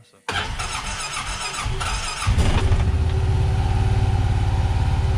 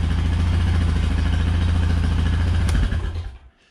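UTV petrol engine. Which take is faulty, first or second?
first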